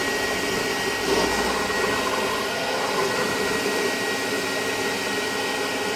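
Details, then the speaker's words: Vintage Hoover Constellation model 862 vacuum with old wiring (black to blue, red to brown), switch suspected faulty; steady airy rush with constant high motor whine, no rattles or speed drops, 83.1 on sound level meter; normal running. "It is measuring 83.1 on the sound level meter."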